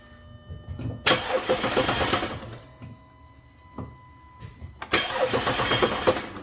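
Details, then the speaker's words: Audi A5/A6 3.2L after major repair for internal coolant leaks, oil pan redone, fuel-system fuse pulled to prime oil pressure; two bursts of even cranking about four turns a second, no firing. Normal cranking with fuel disabled. "it's going to go a crank but no start on this it's going to build up pressure on the oil so make sure take out the fuse for the fuel system"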